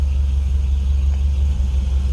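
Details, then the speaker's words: 1950 Mercury Monterey flathead V8 with headers. It starts right up and settles into a deep, steady low rumble with an even pulse and no knocking or ticking. Healthy idle. "Flatty starts right up. You hear that little rumble out of that Flatty"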